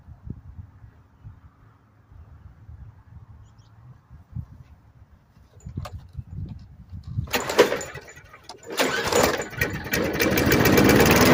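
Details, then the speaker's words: Briggs & Stratton 5 hp engine on a 90s Murray lawnmower after carburetor swap, primed: several weak pulls with no catch, then fires, stumbles and sags before picking up raggedly; wants to start but struggles; hard starting. "Right to life on the first try. Well, she wants to. I think she definitely wants to start."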